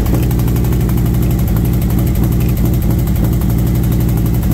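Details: V-twin motorcycle warm idle after new SS540 cam and valve springs, lifters adjusted four turns; fast light ticking about four per second over heavy lope from front valve cover, intake side suspected; valve train tick, cause unconfirmed.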